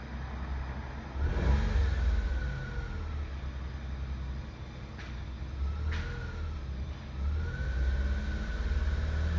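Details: Suzuki Jimny JB23W at idle: over a low idle rumble, short high chirping squeals come as the clutch pedal is pressed and the clutch disengages. Clutch squeal when pedal pressed.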